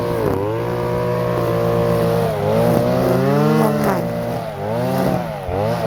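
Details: Stihl FS-250R two-stroke string trimmer after carburetor rebuild kit (old diaphragm had hardened from sitting with stale gas), cutting wet grass in rain: clean howl dips as line bites, recovers without bogging or sputter; normal running under load.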